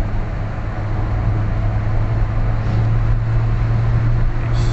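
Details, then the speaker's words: Nissan Grand Livina that knocked on acceleration at 2500–3000 rpm with high idle, after combustion chamber cleaning, idle learning and ignition timing setting, road test: steady drone, no knocking or pinging through gear changes, pulls smoothly. "Sekarang kita coba jalan. Apakah ngelitiknya masih ada? Alhamdulillah ini sudah aman ya. Biasanya perpindahan RPM 2500 sampai 3000 itu dia ngelidik."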